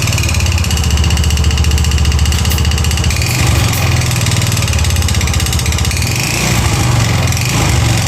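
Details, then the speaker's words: Yamaha Mio Soul GT 125 FI, recently bought, long unused, idling: coarse uneven chuffing with gravelly clatter; rough noise suspected from engine front/piston area rather than CVT, to be confirmed by running with CVT removed. "Nah kalau didengar suaranya sih feeling ini bagian piston ya bagian mesin ya bagian mesin depan"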